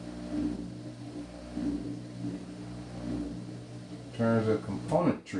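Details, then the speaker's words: Washing machine tested for no-water-fill complaint, drain slightly clogged: steady low drain pump hum, then gurgling and slurping as it pulls air at the end; normal dry-running cavitation. "cavitation dry pump sounds"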